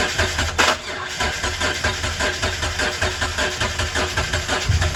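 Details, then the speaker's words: Mitsubishi 3000GT that had not started in 5+ years, cranked on starter fluid with suspect old fuel, tank or pump: starter spins with an uneven chug and never catches; compression test later found most cylinders around 180. "So the last clip should be of us trying to start the car, and yeah, it wasn't starting."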